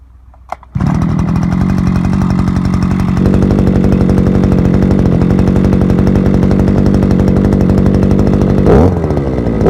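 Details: Forte two-stroke petrol brushcutter, outdoors after piston kit replacement for lost compression and internal knocking (scuffed piston, owner blames bad or no oil): catches first pull, steady even buzz, clean firing, no stumbling; runs healthy.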